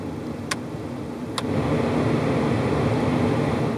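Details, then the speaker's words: Car interior AC/heat blower motor after removal and cleaning of debris that caused a clicking like a card in bicycle spokes: fan spins up to a smooth, even rush of air, no clicking; fixed. "could hear it's not making the noise anymore so we fixed the problem"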